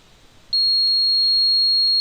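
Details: LPG gas system ECU on a car switched to gas mode, with a gas injector disconnected: sudden shrill steady error beep starting half a second in and holding, as the controller flags an open-circuit gas injector fault.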